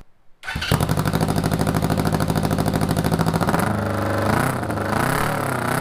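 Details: 1981 Honda CB750 cafe racer with fiberglass packed into the muffler: short crank, then the engine catches and settles into an even, steady idle with a couple of light blips; runs clean and healthy.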